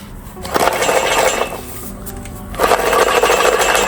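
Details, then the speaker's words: Fiat 500 exhaust back box, corroded and detached from its bracket: loose stony clattering in bursts each time the silencer is shaken, like a pile of stones inside; internal rattle, box to be replaced with a new one. "inside there. Just sounds like it's a pile of stones. I don't know what's actually in there."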